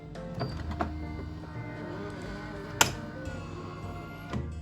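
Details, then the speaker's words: Philips LatteGo 3200 coffee machine, repaired and working normally, in service mode testing the brew unit drive motor that turns the coffee compaction mechanism: steady electric hum with light mechanical clicks; normal run. "ses geliyor Ne sesi bu içerideki kahve yapılan yerde yani kahvenin sıkıştırıldığı mekanizmayı çeviren motorun sesi"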